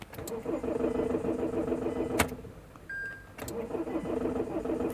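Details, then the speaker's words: Mahindra XUV500 W8 with a customer no-start complaint: the starter churns about two seconds, pauses with a short beep, cranks again but never catches; check-engine light flashing, codes P183F, P1832, P183B, car in safe mode; immobilizer lockout. "इसमें customer complaint है की गाड़ी start नहीं हो रही है गाड़ी को एक बार मैं स्टार्ट करके दिखाता हूं"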